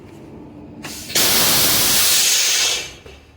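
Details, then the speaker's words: Freightliner truck after the leaking brake chamber was replaced with a new one, brakes released: one sharp hiss of about 1.5 seconds, then quiet with no leak at the quick release valve; normal parking brake exhaust. "we're gonna see this valve it's still going to be leaking or not there it is there's no leak and looks like we're good to go lock it down"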